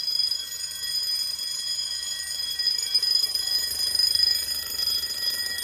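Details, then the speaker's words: Fire-Lite MS-9200UD panel in general alarm after a bedroom pull station is pulled: several bells ring continuously with no break, in a basement test setup; relay clicking from a Simplex control module is also audible. "That's gonna leave ringing in my ears, no pun intended."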